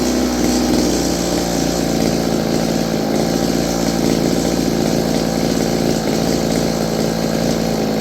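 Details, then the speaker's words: Roughly 30-year-old Stihl FS56 curved-shaft two-stroke trimmer, air filter refitted, buzzes unevenly with pitch wandering and sagging, as if running out of fuel. It is surging and fading; dirty fuel and air filters were found. "Seems like she's running out of fuel. Jake? Whoa, Jake. What's that? I think it's running out of fuel-ish."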